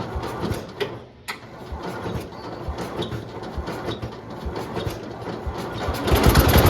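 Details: Late-1960s to early-1970s IH Cub Cadet 126 single-cylinder, long-stored and being revived, carb possibly needing tuning: putter around 220 beats a minute wandering and surging as the unsecured throttle moves freely; uneven running from unsecured throttle.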